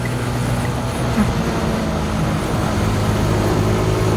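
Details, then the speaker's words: TVS XL100 moped at about 50 km/h on a test ride: loud, rough, buzzy drone with heavy vibration felt strongly through the feet. The reviewer suggests TVS should fix the mounting or elsewhere; cause not confirmed. Loud engine noise and vibration. "Getar banget teman-teman sekalian, asli getar banget, getar banget, getar banget. Beneran suaranya tuh kencang banget teman-teman sekalian."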